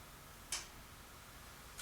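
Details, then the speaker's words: Realistic LAB-420 turntable, stored for years, after repair: two crisp mechanical clicks about a second apart as the arm lifts at the end of an LP and returns; auto-return working properly. "like the way that it's lifting away from the record and this will go all the way down to the end of this LP and there it's pick it"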